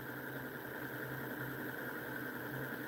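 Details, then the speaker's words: Homemade pulse motor, nine-magnet electromagnetic rotor with 16-gauge coil, reed switch and transistor, building speed toward 6 volts: quiet, steady hum with faint pulsing, smooth and regular; running fine. "That's a nine magnet rotor and it's whipping for nine, dude. That's that's awesome."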